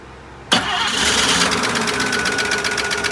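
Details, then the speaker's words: 1954 Chevrolet, first run to fill transmission and burp cooling system, fed fuel to start: silence, then engine catches at once and settles into an even, quick idle with no misses; healthy start. "and just like that boys and girls you fire right up"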